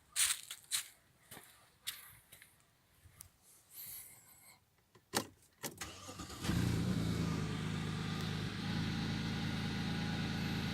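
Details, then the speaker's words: Audi A6 C6 after the intake manifold knock fix, with a piece of plastic bag fitted over a tube and everything reassembled. After some handling clatter the engine starts and settles into a smooth, even idle with no manifold knock and no engine errors. "двигатель работает чист смотрим сюда это для индюков некоторых и для сервисного центра"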